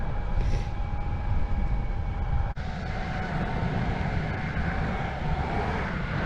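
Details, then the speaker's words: Verreal RS electric skateboard, stock belt drive with 40T/42 pulleys and 90 mm wheels, floored at full throttle (top speed about 22): soft, steady motor hum under wheel roar, no grinding or rattle; quiet, healthy belt drive. "so the board isn't very loud it's somewhere in between the andra and the evolve it's actually pretty quiet kind of like the evolve is that was floored so it's not that loud"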